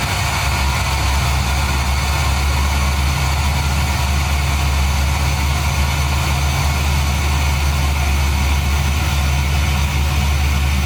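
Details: LS V8-swapped Nissan 240SX after engine-out repair of a small part, first run: deep, steady V8 rumble at idle, even beat with no knocks or misses; smooth normal idle.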